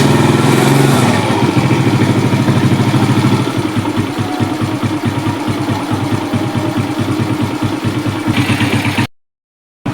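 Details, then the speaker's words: Suzuki Smash single, smoky and rough when hot: uneven, lumpy idle that sags, wavers and cuts out unless throttle is held, worse as it heats; suspected carburetor jetting/setting off and slightly leaking compression. "Jadi dia nggak stabil gitu ya kompresinya. Kita coba nyalain lagi. Nah, kalau nggak ditahan iniannya nggak mau. Kalau udah makin panas."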